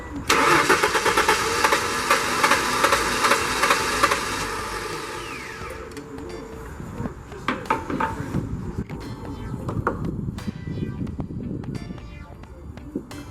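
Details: 1994–98 Ford Mustang that starts then dies (owner suspects coil or current loss), cranked with ether: starter churns steadily about five seconds with no catch or firing, then falls silent; cranks but won't start, cause unconfirmed.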